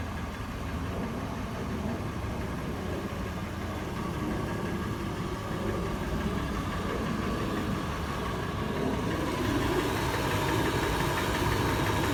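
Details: Toyota FJ warm idle: sharp slightly uneven metallic tapping about three to four per second, faster in park and neutral, slower under load in drive; cause undetermined.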